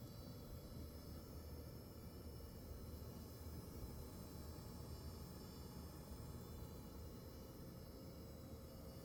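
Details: Sapphire Pulse RX 6700 XT graphics card: thin steady high-pitched whine with faint tones over soft fan rumble. Coil whine.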